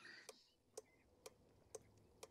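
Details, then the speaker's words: 2003 Chevrolet Silverado 2500HD LB7 Duramax, glow plug INOP diagnosis, 4-pin relay tested on bench with relay tester: sharp crisp even clicks about twice a second with green light staying on; this relay is good. "You can hear the relay clicking. And if the green light remains on, that means that relay is good."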